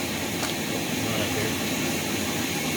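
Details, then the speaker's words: Rainbow R-2800C power nozzle motor run on its own during refurbishment, smelling terrible; harsh rough hiss and whir with no smooth hum underneath; needs lubrication and possibly a bearing. "that sounds awful and you can compare it you can smell at least you can't smell I can smell that uh this definitely is going to need some lubrication and or possibly one bearing"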